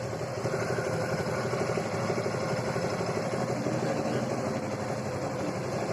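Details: Suzuki Gixer motorcycle after repair (timing chain tensioner refitted and tightened): even, quiet idle with a steady low beat, no rattle or clatter from the top end; the earlier loud engine noise is gone, normal idle.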